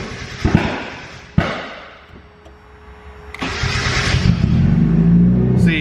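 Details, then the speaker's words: Turbocharged Mazda Miata on a newly installed Speedy EFI ECU, being dyno tuned: a couple of sharp clicks and a pause, then the engine catches into a rough idle; intermittent no-start that is still sporadic. "it's it's very sporadic it's still sporadic i i didn't fix everything"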